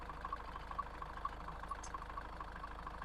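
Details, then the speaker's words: High-mileage Range Rover Evoque idling with a steady low drone and light rattles about twice a second, engine shaking hard; owner concludes it's not the engine mounts. "this engine is rattling around so much when you listen to that whatever that was shaking oh it's not the engine mounts is it doesn't matter if I put a new engine mount on it this engine should not be shaking aro"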